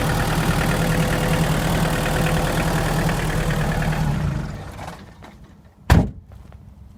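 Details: Hyundai Porter diesel idling with a faint, uneven knock under the clatter that dies down after about four seconds. It is heard from below and persists even after an engine replacement. Source still unidentified.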